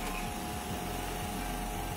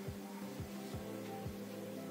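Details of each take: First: Electric fan, long unused and previously not spinning, after its motor wiring was reconnected and insulated, tested on speeds 1 to 3: quiet motor whir with a steady hum and faint whooshing sweeps, no scraping or buzzing; it spins up fine. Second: Old-model electric fan, long unused, that no longer spins, switched on: a low, steady electrical buzzing hum with no blade whoosh or airflow, so the motor is stalled.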